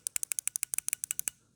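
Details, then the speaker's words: TBI injector from a 1987 Chevy C10 305, removed and bench-tested with 12 volts, no engine running: about fourteen crisp clicks in just over a second; injector solenoid opening and closing as it should. "And if everything goes right, this thing should click. Yep. That means that little solenoid in there, if you will, is working back and forth."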